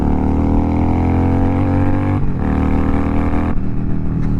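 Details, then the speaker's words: Yamaha V Star 1100 V-twin riding on pavement after a downshift: deep, loud throbbing exhaust swelling with revs from pipes with no mufflers; loud unmuffled exhaust on a healthy engine. "Yeah, it's a loud bike. These pipes don't do any mufflers. It's It's not a muffler. It's an exhaust. So, the motorcycle makes tons of noise."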